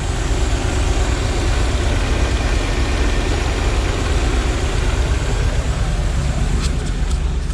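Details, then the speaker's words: Ford RV V8 after new injectors, Accel coil, ignition control module, MAP sensor, plugs, cap, rotor, wires and battery, timing possibly a few degrees off: deep, even rumble with no misses or knocks; smooth normal idle. "so i'll do that but man this thing sounds so much better now smooth"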